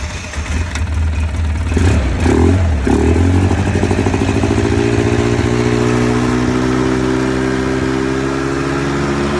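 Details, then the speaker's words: 2005 Polaris Sportsman 700 EFI ATV after new Quantum in-tank fuel pump, regulator and filter, started after priming: cranks, catches and settles into a steady, even smooth idle; starts and runs cleanly. "And here we go. Okay, that was started."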